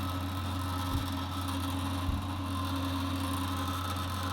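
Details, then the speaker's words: Atlantic dry-element water boiler: constant deep drone with higher buzzing overtone from the hot pipe, which visibly vibrates, when cold water is partly opened; stops with hot water or cold fully open, or after minutes; check valve replaced 6 months ago, cause unknown. "бы не сказал, что это клапан, он даже не дрожит, а вот прям горячая труба дрожит нормально. Не знаю, что это может быть. Вот такой звук неприятный."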